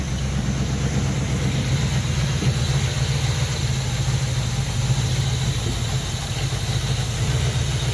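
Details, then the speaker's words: 1968 Impala 327 V8, off the road almost 40 years, after only cleaning the points: low steady burble with an even beat, no misses or knocks, idling until it ran out of gas; normal idle. "cheat all I did was clean the points off and left everything else alone and it's just sitting here idling and we just ran out of gas"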